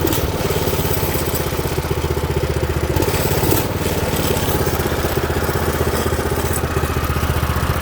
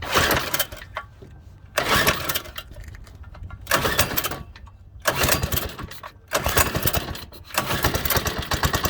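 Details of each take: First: New Predator 212 single-cylinder engine on a Baja doodlebug, started on choke: steady single-cylinder putter at an even idle with a slight throttle change, no knocks or misses; runs well. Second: Stock 97cc Baja Doodlebug mini bike engine, cold, started on choke before an engine swap: repeated pull-start bursts catch briefly with ragged sputters and then stall. It is hard to start and must warm up a while or it dies.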